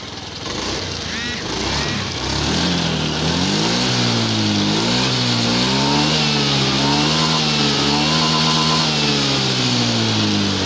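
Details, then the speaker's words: Honda Beat FI scooter after its faulty TPS sensor was replaced: the engine revs up and down smoothly with no stumbling, and the earlier misfire is gone. "Okay na siya mga loads nawala na yung kanyang palya"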